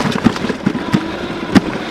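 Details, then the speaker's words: Duotts F20 electric fat bike riding off-road over big rocks: irregular sharp clunks as the front suspension fork reaches full travel and bangs; harmless, purely mechanical. "Là, on entend bien claquer la fourche. Donc c'est rien de grave, c'est juste mécanique."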